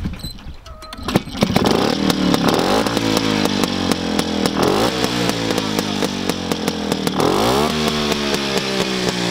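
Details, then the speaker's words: Homemade tractor with ČZ 175 two-stroke engine, first runs after 25 years standing, after refitting a crooked throttle slide that had stuck at full throttle: crisp buzz revving and settling without stumbling or hanging; running normally. "Tak tenhle zvuk se mi už líbí."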